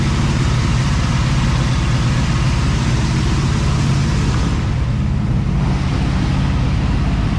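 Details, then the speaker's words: Cadillac ("Lil Debby") with a low, steady idle rumble, no surging or stumbling, after fuel-system diagnosis of a brand-new but failing fuel pump; no fuel return yet, possible vapor lock suspected; return-style filter to be refitted. Normal idle. "So that's much better. I think it'll be even better once we get the return style filter back on here."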